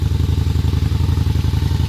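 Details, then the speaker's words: Honda Shadow Spirit VT750 with new Chinese carburetors and a new ignition, cold on choke: deep, even thumping at roughly fourteen pulses a second, steady and regular; fires right up, a healthy cold V-twin idle. "Oh man, fire right up. Love it. Absolutely love it."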